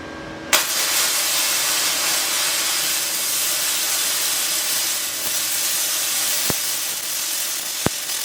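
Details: Gasless flux core MIG weld on unprepped steel with thin mill scale left on: steady frying, crackling hiss from a stable arc with only a couple of sharp pops, a normal weld that runs not too bad without cleaning.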